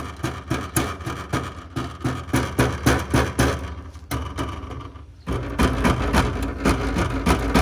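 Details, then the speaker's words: Exhaust heat shield under car tapped lightly with rubber mallet, engine cold: quick tapping sets off a loose tinny rattle; shield loose from broken fastener, cause of rattle at cold start and when accelerating. "now when you're driving you're hearing this and you're thinking oh my God my engine is going to fall out of the car it's probably one of these shields"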